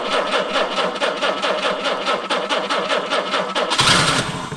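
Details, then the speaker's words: 1968 Jaguar E-type Series 1 convertible, sitting about two years: steady cranking with occasional attempts to catch but no firing takes hold; has spark, wants to start, believed flooded. "well have spark it wants to start it was flooded all right this might be an easier issue than I thought"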